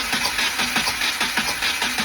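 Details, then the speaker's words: Subaru WRX FA20DIT rebuilt engine not running, compression test cranking on truck battery: even regular beats about four a second; suspected cylinder reads about 140 psi, same as others; good compression, normal cranking. "okay and we got actually the exact same compression we got very good compression there that is a total of 140. so that side is receiving good compression so no issues there"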